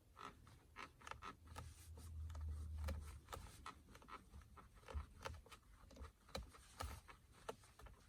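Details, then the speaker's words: 2019 Mazda CX-9 armrest with an elbow pressed on it. Irregular creaks and plastic clicks come from plastic parts rubbing where the factory left out noise-insulation pads at two spots. "а если ближе сюда положить локон что такой неприятный звук"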